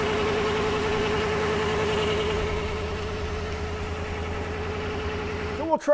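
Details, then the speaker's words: 1995 Chevy 454 (7.4L) V8 with a dead battery, jump-started first try with a VTOMAN V150 jump starter; runs smooth and even at a steady fast idle with no knocks or misses, healthy normal running. "all right success on the first try let's give it a little gas"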